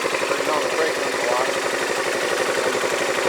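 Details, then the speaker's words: Yamaha Majesty scooter on a lift, idling at about 1,100–1,200 rpm: a loose, irregular metallic clatter about four a second, like the clutch shoes slapping the bell; the owner suspects belt or CVT clutch and is unsure if it is normal. "1,200 rpms is what it idles down to it'll make a clanking sound oh is the belt slapping I don't know what that noise is the clutch itself"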